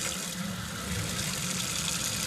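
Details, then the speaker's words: Gasland 150,000 BTU propane tankless water heater, first run after install, tap switched to hot: steady rushing hiss with slight sputter as air is bled from hot line before heater fires. "Oh, I can hear the machine. >> I got to let the air out of the line."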